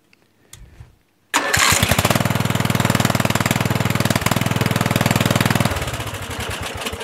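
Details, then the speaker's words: Murray 14.5 hp 42-inch LT Select lawn tractor after correcting a miswired solenoid ground that stopped the magneto shutting off: starts first try into a steady single-cylinder thump and shuts off cleanly with the key. "it shuts off no problem that's what it was can you believe that jigging and surprisingly it starts up pretty well now you know"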